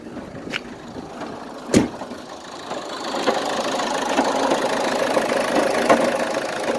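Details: 2006 Opel Zafira 1.9 CDTI 120hp diesel idling with a light irregular ticking and clatter over the engine; owner does not know where the noise comes from, cause unconfirmed.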